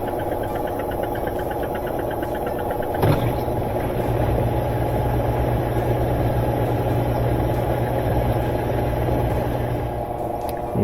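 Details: Maytag top-load washer after repair, previously said to have a bad transmission: a clunk, then a steady low motor drone and even pump hum with no grinding or banging. Normal drain and spin.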